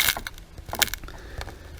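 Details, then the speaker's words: 2003 BMW E46 330Ci M54 engine, crankcase ventilation oil separator removal: sharp dry crackles and crunching as the old pipe and clip are worked loose; brittle crankcase breather plastic. "oh a little bit of build up and you can actually hear a bit of crunchiness there this crunching you can hear"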